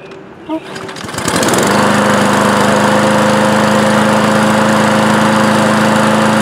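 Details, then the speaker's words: Craftsman lawn mower after starter rope replacement: starts easily within a pull or two and settles into a steady, even drone with no misses or knocks; normal running. "well that starts easy we got a new string new starter rope love it"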